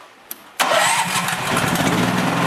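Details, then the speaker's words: Honda GX390 engine on a generator, run with no load and the auto throttle switch off: it catches after a pull and settles into a steady but lazy, low-pitched beat; rpm below the usual 3600, governed speed too low, checked with a tachometer. "now the issue with this generator is that the engine RPMs are a bit slow"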